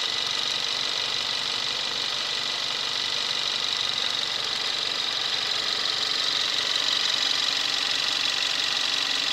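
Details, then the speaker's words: 2017 Kia Rio 1.6L inline-4 GDI, about 10,000 miles, just started: steady, even idle with the usual fine injector clatter on top, quieting down smoothly after start; normal engine sound. "This is a 2017 Kia Rio with a 1.6 liter inline 4 engine. Just started up and you'll hear the engine quiet down."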